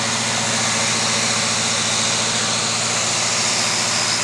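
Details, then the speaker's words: 1979 Oldsmobile 403 V8 (original K motor from a '79 Trans Am) first run on a homemade engine run stand: even, steady idle with a smooth regular pulse, no knocks or ticks; little vibration, not overheating; owner may adjust timing; normal idle. "looking good I don't see much vibration little bit not bad pretty happy though front stand is just sitting there doing nothing all right it's not overheating looking good"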